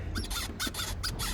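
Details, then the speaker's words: Aipas M1 Pro e-bike, stopped and pushed up and down with forks locked out: short high chirping squeaks about every quarter second; drivetrain doubted, fork or fenders suspected but not confirmed. "when I get here, I get off the bike and I just kind of push it up and down, you can hear the squeak."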